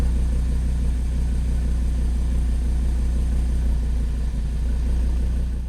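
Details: 2013 Audi TT RS (8J) at a raised cold idle through the ~45 s warmup, after reinstalling the intake manifold flaps and port separators (secured with Loctite), which cured the earlier misfires. A deep, smooth, even rumble with no skips; healthy.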